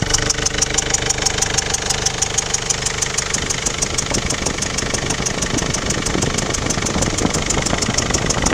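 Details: Mercedes OM611 CDI diesel at idle: sharp, regular ticking knock about three per second over the diesel clatter, heard more at the rear right. Abnormal noise, cause not yet found.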